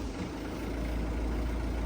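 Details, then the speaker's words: Copart-auction damaged Peugeot 208 with a stored fault, engine started only briefly: steady, even low rumble at idle with no knocks or misses; sounds healthy. "Oh, we're starting up there. Sounds quite nice."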